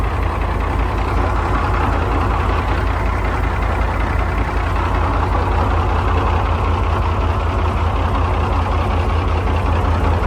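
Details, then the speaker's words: British Chieftain Mk10 tank, British Leyland diesel after water-flooded engine work, oil primed, jump-started and warming slowly, not driven in about 15 years: deep even idle, steady low beat around 2.5 per second; normal idle. "Now, with the British Leyland engine running beautifully, it was time to put the quill shafts back in that will connect the gearbox to the final drives"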